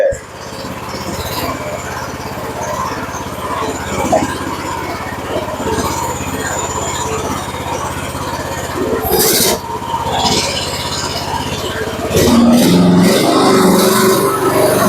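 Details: Chinese mini skid steer, which had a leaking, incompletely welded fuel tank, just key-started: a steady, even beat with a subdued exhaust note and no rasp or blowing; quiet, sealed exhaust, normal running.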